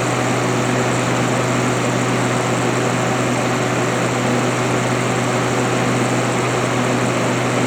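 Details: Haier ESA410J-RGB 10,000 BTU window AC (missing data plate, first taken for 14,000 BTU), condenser-side airflow test: strong steady rush of air with a constant low fan hum at about 1450 RPM at the back; condenser fan running normally.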